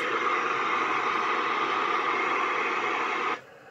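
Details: Ranger 2950DX 10m FM radio after repair of a missing 8 volts to the PLL area, which had stopped it locking: steady, even speaker hiss with no whine or dropouts, then silence when the noise is cut; normal.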